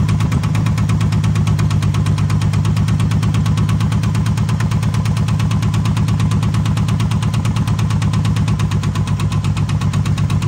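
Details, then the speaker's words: 1978 AMC Hornet, idling after rod knock was suspected: heavy, uneven idle with throbbing beat about three per second and shaking; number one and number two cylinders misfiring. "yeah something something is off number one and a number two cylinder got issues"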